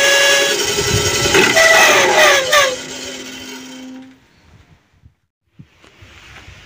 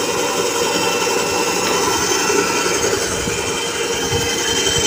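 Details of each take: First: Mini bandsaw with a harsh, whistling rasp and several ringing tones that fade as the saw winds down; rough noise attributed to a misadjusted blade wheel. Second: Mini bandsaw after the rough noise was fixed by tightening/loosening an adjustment at the rear with an L-key: steady even whir with light hiss, no knocks or rattles. Finding: normal running.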